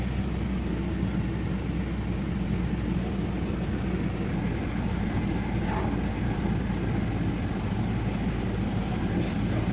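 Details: Nissan VQ25 V6 after no-crank no-start troubleshooting and fix: steady low engine drone with no misses, knocks or stumbles; running smoothly and evenly.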